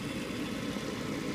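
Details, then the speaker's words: Gas furnace after tune-up and flame sensor cleaning: exhaust (draft inducer) fan running first at start-up with a smooth, steady whoosh and low hum, no rattle or squeal, before igniter warms; normal sequence of operation. "usually the regular sequence of operation. After a few moments here, my igniter will start warming up again, like it did that first time."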